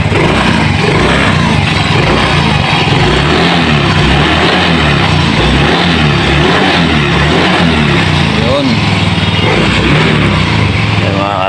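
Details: Yamaha Mio scooter that bogged (hagok) at full throttle, tested after a fuel filter replacement: it revs cleanly and holds steady under repeated throttle with no stumble or bog. The fix was effective and throttle response is healthy.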